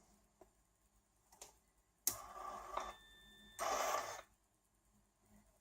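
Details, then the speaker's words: Racal 543 (TUAAM) automatic antenna tuner for Clansman PRC 351/352 VHF, power-on tuning into a mismatched 25 ohm resistor load; two short motor whirring bursts with a faint steady tone, then quiet; normal tuning cycle. "so what's going to happen as soon as I'm going to to power it on it will start the tuning and you will hear the device working and we will have in this light go away after the tuning cycle will be completed so let's hear that"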